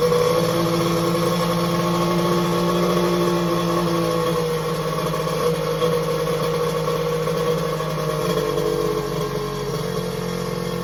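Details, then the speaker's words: X2 two-stroke, restarting after first firing in days; front cylinder later about 150°F, back head 186°F: steady, even drone at constant speed with no misses or knocks; starts right up, normal running. "okay it started right up"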